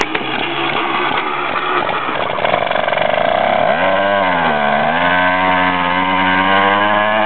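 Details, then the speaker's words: Homemade motorized bicycle with a weed-whacker two-stroke engine driving a friction wheel on the tire, warming up on choke: a ragged buzzing catch, then revs climb, dip and settle into an even high buzz; normal two-stroke warm-up on choke. "all right it's a two-stroke and it takes a bit of warming up so I'm going to have to put the choke on"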